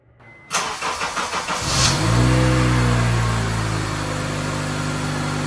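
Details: 2004 Honda CR-V automatic after replacing the transmission end cover and refilling with correct fluid (whine had been present from startup at idle): about six even cranking pulses, then a smooth, steady idle with no whine, so the transmission sounds quiet and fixed.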